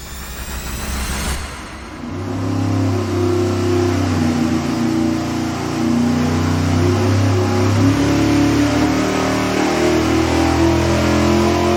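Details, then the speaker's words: Carbureted V8 on the dyno, naturally aspirated baseline before a 150-horsepower nitrous plate system is added: deep even roar climbing smoothly to about 7,000 rpm, no misses or knocks; healthy full-throttle pull, same as last test. "Okay. Big surprise. This thing runs exactly the same as last time we tested it. >> I know. But it's just as exciting to me to hear that thing at seven grand."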